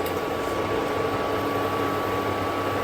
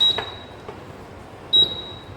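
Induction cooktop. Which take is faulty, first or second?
second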